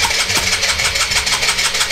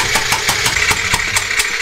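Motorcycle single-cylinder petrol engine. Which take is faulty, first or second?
first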